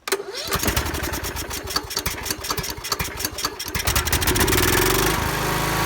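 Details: Husqvarna YT 21 HP lawn tractor engine, cranked with a charger on a dead battery, gives fast uneven cranking for about four seconds, then catches and rises into a steady run; normal start. The owner later suspects the starter or starting coil.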